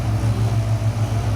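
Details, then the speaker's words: Gen1 Ford Raptor with the factory power steering pump, heard while driving: a loud, steady droning groan that comes every time the truck turns left. The owner attributes it to the pump, which is being replaced. "but it's loud and i mean not not just a little loud i mean like this thing house when you're going down the road it groans every time you turn to the left"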